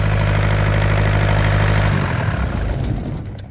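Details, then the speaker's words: Yanmar TK486 2-liter 4-cylinder diesel with open-line fuel leaks at injectors and pump: even, steady chatter with a light whistle, almost sounding turbocharged, then winds down cleanly at shutoff; otherwise nothing wrong found. "Actually sounds pretty good for a little 2-liter 4-banger diesel. It's got a nice little whistle to it. Almost sounds like it has a turbocharger."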